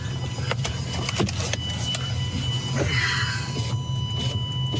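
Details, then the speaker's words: Bentley Arnage T: the power window motor whirs with an uneven squeal and scattered clicks, and the glass only moves down a short way at a time. Window stops partway, suspected failing window regulator. "All right, addition to this noise, which I don't understand, the window will only go down this far at a time, so that's a promising sign."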